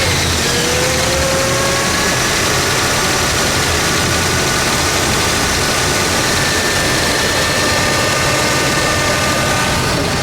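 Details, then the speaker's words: 1965 Buick Wildcat Deluxe Convertible, 401 CI V8 with 4-speed manual, owned since 2000 and looking showroom new, started and idled at a car show with idle kicked down a bit: smooth, even V8 rumble with no ticking, knocking or misfire, quiet and powerful; normal idle. "All right. Let me hear that idle. Can you kick it down just a bit? There we go. One more. Ooh. Quiet and powerful."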